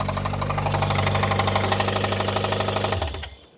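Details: Nissan R'nessa engine, last run: heavy even knocking about three per second until it cuts out, smoke from under a hose; spun rod bearings, engine scrap.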